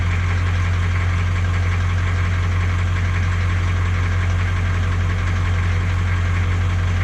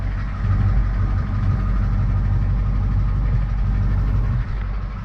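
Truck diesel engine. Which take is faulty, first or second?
first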